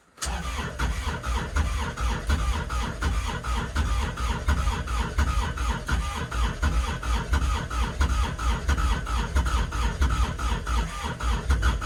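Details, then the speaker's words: Kubota RTV900 diesel at -8°F with summer fuel: long stretch of steady, even starter churning, never catches. Among the last tries before stopping to avoid killing the battery. Owner suspects gelled fuel. Won't start. "confidence inspiring that was a lot more cranking than i like to do though nope that's it not gonna go and we're done"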